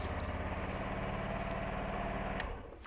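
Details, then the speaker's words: Honda Varadero 125 motorcycle after replacing the faulty starter motor and topping up oil: starts and runs with an even low thumping idle, then a click as it shuts off; normal. "so we've done the starter motor we've just topped the oil off so let's see if it's going to start beautiful"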